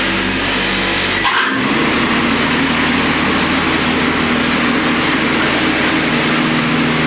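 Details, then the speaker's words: Electric-converted Murray riding mower (ME-1004 motor, 44–48V Chevy Volt lithium pack) running at speed setting 36, hydrostatic drive whine audible; even motor hum picks up steady blade whir as deck engages, no knocks or grinding: normal running, voltage dips with deck on. "I like to run it at 36. it seems to be a good lawnmower speed anything higher just sounds like it wants to kill you that noise you're actually hearing is the transmission or the hydrostatic drive let's engage the lawnmower"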